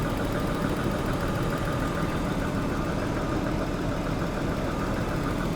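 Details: Daimler XJ40 that broke down on the highway: a steady, smooth low idle with no dropouts while the crank sensor and ignition coil connections are wiggled. Speed holds cleanly and no fault appears.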